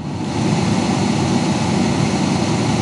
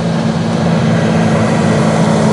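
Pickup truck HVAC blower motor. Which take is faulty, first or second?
second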